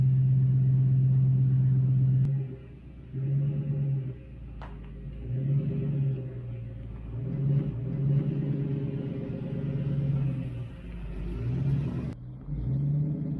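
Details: 1966 Mustang with 4.6L modular V8 swap, first start with new 2.5" straight-pipe exhaust: deep, even burble at idle with clean rev blips and no misses; revving to 6000 rpm blew off a coolant hose.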